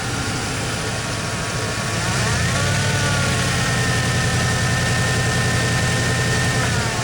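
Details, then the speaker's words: Ford 302 after installing a new TFI module and distributor, timing not yet set: a steady V8 burble that lifts slightly on a touch of throttle with an uneven, lumpy beat. It runs a little rough and on the rich side. "It's still running a little bit rough. That's pretty close."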